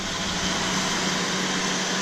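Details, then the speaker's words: 1981 Jeep CJ7 inline six after swapping the Carter carburetor for a Motorcraft 2100: even, steady hiss and hum with no misses, knocks or stumbles; running smooth and clean. "You can hear how good it sounds. So when I originally got it, he had tuned the Carter to sound somewhat like this, and I drove it around."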